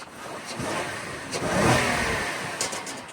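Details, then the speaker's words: Partially repaired Honda at a Copart auction, free rev: the engine climbs cleanly in a quick blip and settles back without knocks or rattles; it sounds smooth and healthy. "Engine sounds so smooth."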